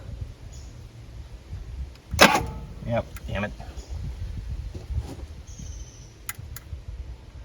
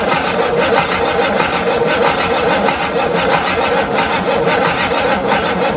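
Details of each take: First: Abandoned 1958 Super, first start: it cranks, then catches and runs up to a steady idle; it now has fuel, oil pressure is good, it's charging a little, and temperature is rising quickly. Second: Abandoned 1958 Super, first start attempt on a mystery engine with fuel poured into the line and bowl: steady starter churning under one beat a second with no catch or firing; no fuel, so the fuel pump is judged dead.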